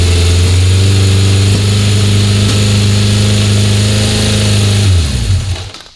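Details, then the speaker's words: 1976 Honda CB750F1 SOHC four with electronic ignition during carburettor balancing; idle stays far too high even when the idle screw is dialled back, a fast steady drone that sags and dies; a fault inside a carb is suspected. "Something's wrong in that carb. I can't, every time I dial it back in, it just raises the rev so high."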